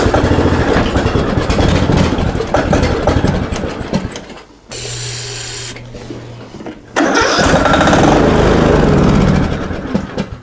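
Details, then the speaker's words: Greenfield ride-on mower with diesel contamination, no start: repeated cranking bursts with a brief catch that dies; spark plug repeatedly fouled with diesel, plug itself okay, may be replaced once running. "three yeah take three just pulled the spark plug out it was failed with diesel yet again the spark plug itself is okay but I think you just get keeps getting failed"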